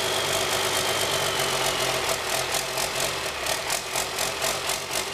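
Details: 1997 Cummins 5.9 12-valve with P7100 P-pump, 960,000 km, cold start at about half throttle after bleeding injector lines: steady cranking about four beats a second without firing yet; slow hard start before it runs.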